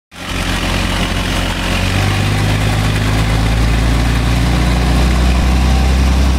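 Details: 1920 Locomobile engine, first run after rebuild: catches and settles into a steady, even, low throb with no knocks or rattles; runs healthy.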